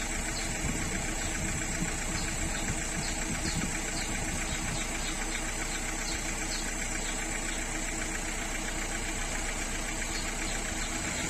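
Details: Renault 1.3 TCe engine with a noise on acceleration: steady running with a faint, loosely regular light ticking over a rough hum; cause of the noise unclear.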